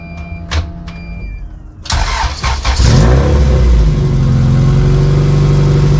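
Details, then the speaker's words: Honda CRX with LS-VTEC swap, idling on driveway after large muffler replaced, with cheap aftermarket mid-pipe: cranks, catches, steady idle with raspy, buzzy exhaust edge; deep loud tone gone, owner suspects resonator not working. "Okay, so the raspiness is still there, but the deep, loud tone is gone."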